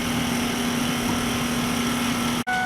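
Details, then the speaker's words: 1999 Ford F250 Super Duty 7.3 Powerstroke diesel after fuel filter replacement, key on and engine off: steady low electric hum, briefly cutting out, as the fuel pump primes diesel back into the system. "um no you'll hear it the fuel pump kick on you're going to do this about four or five times for about 30 seconds um let let diesel get back into the system"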